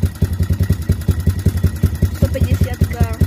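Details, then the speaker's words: Minirocket Raptor 150 cc single-cylinder oil-cooled carbureted ATV, 182 km, just started: steady quick putter at about 3500 rpm idle, set up at Yamaha, no knocks or rattles; healthy. "Takže máme naštartovanú, má krásnych 3500 otáčok."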